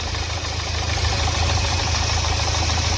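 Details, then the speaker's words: Nissan Terrano diesel, code P0203, idling: uneven, lumpy clatter with a skipping beat and knocking; misfire traced to faulty injectors on cylinders 2 and 3, with cylinder 3 also leaking; all four injectors were to be serviced. "यहां प इसके ये injector का problem है इसमें दो injector का problem है एक दो नंबर की प्रॉब्लम है और तीन नंबर का भी प्रॉब्लम है"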